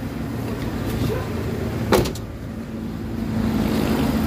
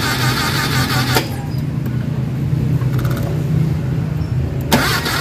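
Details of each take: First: Mitsubishi Adventure gasoline 4G63, left sitting for months with electrical and ECM faults, idling after its repair: quiet, even idle with a steady low hum and one brief click, smooth and strong running. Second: Mitsubishi Adventure gasoline 4G63, spark restored after IC, distributor and ICM conversion but still not starting: quick, even starter cranking that never fires.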